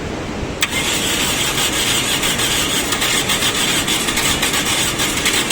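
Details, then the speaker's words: Toyota car that wouldn't start, now running: engine catches straight away, settles into steady even idle with no misfires or stumbling; starts and runs fine. "दोस्तों देखिए गाड़ी start हो गया और गाड़ी side किस वजह से हुई है क्यों हुई है यह मैं आपको पूरी शक्ति बताता हूं"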